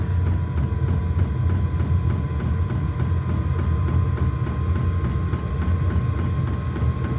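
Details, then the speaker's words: New diesel heater in a garage at first start-up, fan getting up to speed: steady deep combustion-fan roar with even fuel-pump ticks about three times a second; normal running. "There she goes. Listen. Getting up to speed. We have left off. It's quite scary first time."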